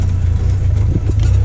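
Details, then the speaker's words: Buggy with Mirage 1.2 L engine, ignition timing corrected: strong, steady low note with even firing and quick clean revving, no misses or knocks; runs much smoother than before. "Wow so far it feels like a different buggy like the engine just runs so much smoother so much cleaner you can hear it rests fast"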